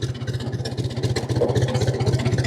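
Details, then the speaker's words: 1950 Ford 8N tractor straight four after cleaning and refitting fouled spark plugs, in neutral idling at about 300 rpm; slow, even low chugging with steady evenly spaced firing pulses; normal idle. "Okay, let's fire it up and see what it sounds like. Make sure it's in neutral. There we're idling at about 300 RPMs."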